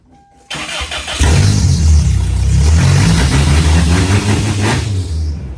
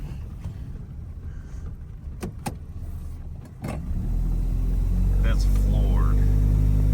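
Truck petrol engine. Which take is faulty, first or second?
second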